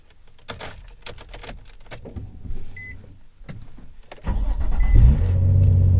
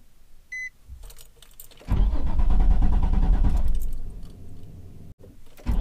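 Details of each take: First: Nissan 350Z with VQ engine, in a crankshaft position sensor replacement job. Keys rattle, then a short crank catches and the engine settles into a steady, even idle with no misses: a clean, normal start. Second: Nissan 350Z with VQ engine: key chime, then several seconds of slow starter cranking before it catches; hard start, a failing crankshaft position sensor is suspected, not confirmed.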